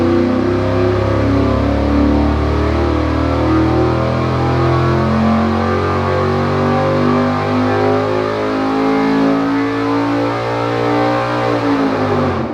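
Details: Dart 400 small-block Chevy on an engine dyno, warm, after a power valve change fixed a lean spot on roll-in: loud, steady V8 roar held at high revs under full load with no misses; 581.9 reading, 34° total timing.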